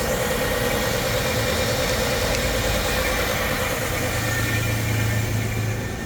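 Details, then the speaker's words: Chevy S10 truck with a swapped 3.4 engine, idling on a warm day. It had been bucking and dying in closed loop until the MAP sensor was moved to the EGR port and the EGR unplugged. Now a steady, even, smooth idle with a low drone and no stumble. "Whole thing turns like a kitten."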